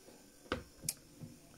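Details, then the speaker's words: 1959 Clarion transistor 3-inch reel portable tape recorder, left unused for many years: soft, regular knock about three times a second over a quiet motor as it passes a rough spot on the wheel underneath (guessed); needs service. "the knocking is the motor going over a rough bit on the wheel underneath i'm guessing where the um"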